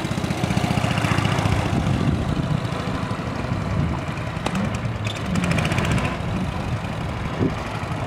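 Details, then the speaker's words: 1965 Cushman two-speed scooter, cold start with choke pulled, in low gear for test ride; single cylinder putters slightly unevenly, steadying over the clip; rough cold running, seller suspects it needs fresh fuel and warming up. "runs sounds like she's kind of smoothing out a little bit bike probably needs what I call an Italian tuneup that's some fresh Fuel and just get out there and get it warm"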